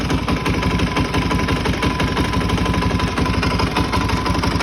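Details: Suzuki DRZ400E with a 430cc big bore kit and Vertex piston, bought as-is, idling: coarse, heavy knock on every beat, about three a second. Cause unknown. Engine knock.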